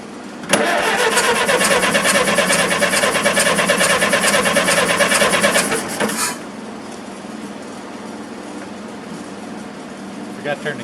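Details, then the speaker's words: Massey Harris 44 tractor, first start attempt after sitting outdoors seven years: even cranking at about two turns a second for nearly six seconds, never fires; no spark at the ignition points due to corrosion/oxidation, later cleared with a points file. "we'll stop and go to the points and take a look see if the points are corroded seven years pretty long time to set"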